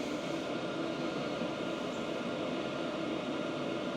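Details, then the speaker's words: 2025 VEVOR 8 kW diesel heater warmed up and running on high: an even rush of fan air with a faint constant hum, measuring about 66–67 dB, with no knocks or surging. The pump ticking is still felt through the table. Normal running. "The ticking, although I'm sure it is still there. And if I put my hand on the table, I can feel it."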